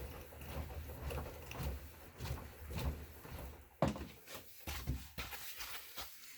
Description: Assault runner elite creaking sound